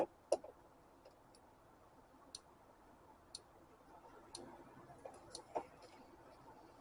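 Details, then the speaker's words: 2000 Isuzu Trooper/Bighorn/Jackaroo, ignition on, injectors clicked one by one via a scan-tool injector control test; injector 4 suspected of a weak click. Faint, crisp, even clicks about once a second: a normal injector click. "injector one is clicking object is two is clicking and get to three click in and the one I suspect and get to four and the weak click"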